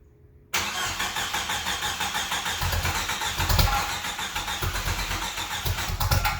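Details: 1995 Jeep Wrangler YJ, first start in years after replacing a shot fuel pump, rotten gas and filter: cranks briefly, catches and settles into a steady, even idle with a regular low pulse, no knocks; normal idle.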